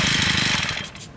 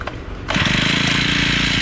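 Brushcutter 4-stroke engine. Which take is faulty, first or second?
first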